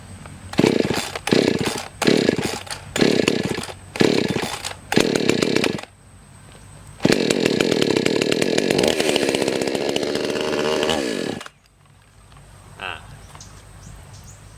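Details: Chainsaw with a hard-start problem, started with fuel drained and choke on to clear a suspected flooded plug: five short pull-start bursts, then it catches and holds a strong, steady high rev about four seconds before shutting off cleanly. Normal running.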